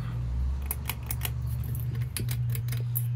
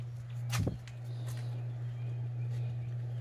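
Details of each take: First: 30in Home Trends Rainbow Hugger ceiling fan on a porch, run in reverse: low steady motor hum with sharp irregular ticking and rattling; fan shaking on a loose, flimsy mounting bracket. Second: 30in Home Trends Rainbow Hugger ceiling fan, lightweight, on a porch with a flimsy creaking mounting bracket, running on high speed: smooth constant low hum, birds outside; fan running evenly.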